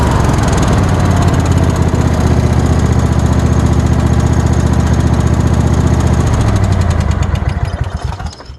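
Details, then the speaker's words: Old Craftsman lawn tractor with a 22.5 hp Kohler engine: rough, uneven running with a heavy rapid knock about four beats a second deep inside, fading as the engine winds down. "as you can hear it doesn't exactly run well it's developed some sort of knock inside it so that's no good"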